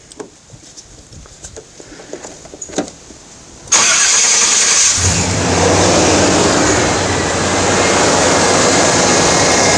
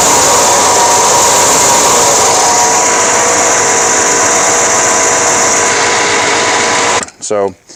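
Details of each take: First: 1989 Chevy K-1500 after the alternator was replaced; handling clicks, then the engine cranks, catches, and settles into a smooth, even idle with no whine or squeal from the accessories. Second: 1989 Chevy K1500 with a replacement alternator only about a year and a half old that still charges fine: a loud, steady high whine with a harsh rushing edge over the engine, like a jet engine. A noisy alternator bearing; the alternator is being replaced.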